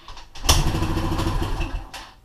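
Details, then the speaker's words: Yamaha TTR125 E model hard cold start, choke fully on, fuel on: single cylinder fires, catches about a second, then dies; tiny float-bowl hole feeding the choke circuit clogged with dirt, so it starts effectively without choke; should start in two kicks. "So it'll start a little bit. Pretty much you go crazy. It should start with like two kicks."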